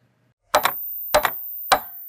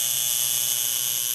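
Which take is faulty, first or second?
second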